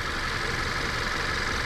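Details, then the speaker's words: 2021 Subaru Forester SK5 1.8 turbo petrol, 4WD, 22,000 km, Motul 5W30 oil ~5,500 km old, idling: smooth even hum, steady low rumble, no knocks, ticks or surging; normal idle. "cicho pracuje czy nie ? Tak, to normalne, ale teraz wymienimy olej, będzie pracować ciszej niż przebieg"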